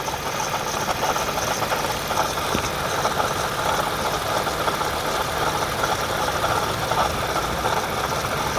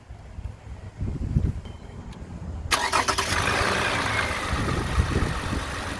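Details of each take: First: 2010 Toyota Camry XLE at idle after driving: steady rough whirring grind above the engine note, worst yet, with a coolant smell; failing water pump. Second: 2010 Toyota Camry XLE after water pump replacement: short crank, quick catch, then smooth even idle with no knocks, ticks or squeals; normal idle.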